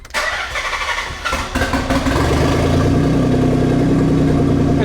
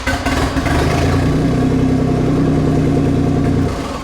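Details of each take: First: Nissan 300ZX starter test with battery reconnected during dump pipe and exhaust install: short, quick crank that catches within about two seconds and settles into a steady idle; starter motor working as before. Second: Nissan 300ZX after replacing cast dump pipes and front exhaust, started with rear pipe not yet fitted: deep, loud, blatting tractor-like drone swelling with revs; open exhaust, rear pipe missing.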